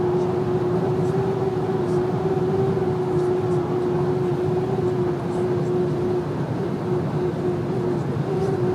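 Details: VW Amarok driving at slightly over 120 km/h: a steady, thin whistle at one pitch above the road and wind roar; source not yet found.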